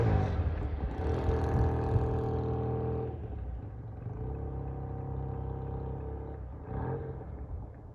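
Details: Vintage British motorcycle, sat for a couple of years, carburetors cleaned twice for clogged passages, on a road test, Phoenix ~70°F: note eases down from a rev and settles into an even clean beat, no misfire or clatter; runs smooth and strong.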